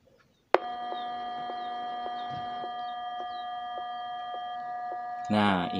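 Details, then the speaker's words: DAT DA-313 power amplifier, microphone beside the speaker, one leg of the added supply filter electrolytic capacitor disconnected, no music playing: loud steady buzzing hum with a thin whine on top; factory noise fault from the missing filter capacitor. "Ya seperti tadi noisenya kencang ya keluar suar"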